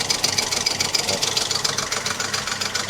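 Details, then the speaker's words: Mk1 Ford Fiesta idling on a temporary cable-tie fan belt gives a quick, steady clacking three or four times a second as the heavy end of the tie rubs the water pump housing; the tie later broke. "You just hear the sort of clacking as the the heavy end of the cable tip. Uh, I don't know if it's rubbing on something or Oh, I think it's rubbing on the um water pump housing just there, actually."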